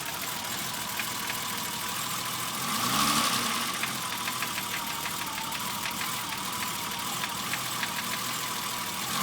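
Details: BMW E30 engine at steady idle with a light, fairly quick tick of about three a second, top or bottom end unclear; three shops could not identify it, and the owner suspects rod knock, piston slap or bearings before replacing the engine.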